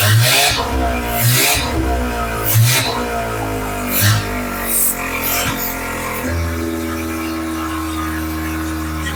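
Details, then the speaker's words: Mazda RX-7 12A rotary, restarted with choke after vacuum leaks were plugged by hand: rough catch settles into a steady, even idle that holds with no throttle input; normal idle, vacuum leaks suspected of causing earlier stalling. "that's nothing it's idling no hands"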